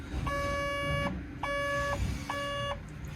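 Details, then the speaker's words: Doosan Develon DX85 excavator that won't start: about 11.9 V at ignition dropping to 8 V when cranking, starter tries to turn then drops out; three long beeps over low rumble, battery voltage too low to keep cranking. "monitoring 11.9 Vols got a crank tries to turn and then drops out it drops out to 8"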